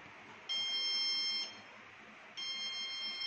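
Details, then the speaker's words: BPCL petrol pump automation system: two long, shrill electronic buzzer tones, the low product alarm reading "petrol delivery required" because tank stock is low. "देखो दोस्त, "petrol delivery की आवश्यकता है," यह कम उत्पाद का alarm है।"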